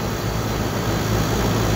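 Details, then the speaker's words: Dual-stage package unit scroll compressor in a restaurant: steady loud drone with rough rushing hum, making noise but not pumping refrigerant; suspected swapped supply leads after electrical work, running in reverse. "So the system, when it's kicked on, the compressor sounds like it's running, but it's not. It's just making noises, but it's not pumping freon."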